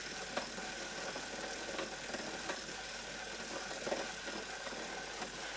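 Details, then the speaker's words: Wahoo trainer at slow pedalling in easiest gearing: only a faint soft whir with a few light ticks from the drivetrain, almost nothing audible; normal quiet running. "Cleaner drivetrain might leave less noise, but we're talking almost nothing right now."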